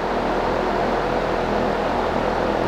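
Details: Dayton 2MA11 24-inch fan on low speed after capacitor swap, thermally protected class-B motor reading about 130–135°F on thermal camera: steady, even airy whoosh with a low hum, no ticks or scraping; running smoothly and quietly, normal running.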